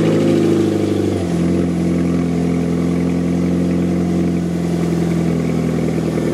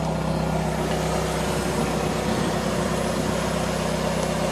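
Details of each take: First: Fiat 500 that broke down sounding like a hot rod and would not exceed 40 mph: exhaust failed at the rear back box, effectively a delete. Started up, it settles into a deep, loud, hollow boom; exhaust leak before replacement. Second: Fiat 500 started after DIY exhaust replacement, joints tightened: a steady, even idle with a smooth low drone and no puffing, ticking or rattling; exhaust sealed, no leaks.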